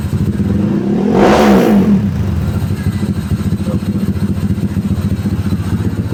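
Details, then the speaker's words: Tuned Honda Stylo 160 with a 61 mm piston, about 9.5 cam lift, near-3 overlap, scraped valves/head, full filter, 38/50 valves, 28 throttle neck and the pulley not fitted: one sharp throttle blip, then a quick, even pulsing idle through a loud open exhaust; healthy. "men, suaranya lumayan ya. Mungkin karena nggak pakai puli kali ya, jadi suaranya kayak 5 TP, ya kan ya."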